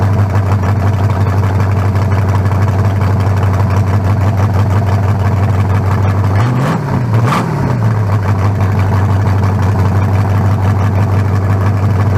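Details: 1974 Nova's new low-compression turbo small block (40-over, 3.48 stroke, forged pistons; replaces a cracked-cylinder-wall 388): loud, deep, even idle with one quick throttle blip returning smoothly, better than the 388. Normal idle.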